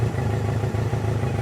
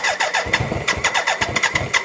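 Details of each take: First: BMW K100 four-cylinder motorcycle after fuel tank overhaul, restarted with choke off after sitting 15 minutes: steady, even low pulsing with no misses, idling nicer; owner notes engine sounds somewhat rattly, possibly low oil, and long storage. Normal idle. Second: BMW K100 cafe racer first start after fuel tank overhaul, new internals and battery reinstalled: cranks about three seconds, catches, runs lumpy and uneven like a tractor before revving; rough running on cold start. Later runs better after sitting 15 minutes.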